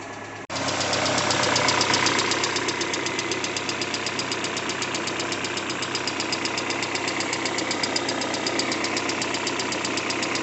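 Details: Peugeot 406 Coupe after timing belt replacement, idling from startup: sharp regular tapping about four per second, a sudden engine knock.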